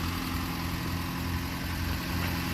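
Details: 75-year-old Peugeot 202 petrol engine idling after a road test: low, smooth, even rumble with no misses or knocks. Normal idle; not smoking or overheating.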